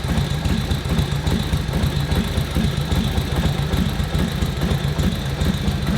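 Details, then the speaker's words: 1941 Harley-Davidson WL 45 cubic inch V-twin idling with a deep loping thump. The idle mixture screw is turned one notch at a time, and the idle speeds up and smooths as it nears the best setting. "It's speeding up. Hear that going smoother? Smoother. Just clicking it one notch at a time on your idle mixture screw. Speeding up."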